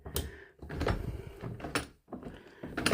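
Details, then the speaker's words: Main house door lock. The door shuts with a solid clunk, then the handle lifts and the bolts throw in clean clicks with no binding or struggling. Normal lock operation. "That's the way it should close. You should hear that nice clunk."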